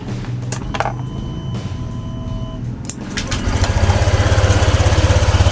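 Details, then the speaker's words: Honda Click 125 V2 scooter after an overall repair, with a replacement cover fitted and a bypass: it catches on the first press ("one click start") and settles into a quiet, steady, even putter. Normal start and idle. "Eto na siya, tahimik na siya oh. Yan oh. Yan siya. One click start."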